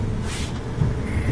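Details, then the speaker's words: Gas dryer after replacing the faulty gas valve assembly that caused a whistle whenever the flame/heating came on: even low drum rumble with no whistle or squeal; running normally. "And now when we start it up, we turn the gas back on, we got it plugged back in. We have a normal sounding dryer. No more whistle."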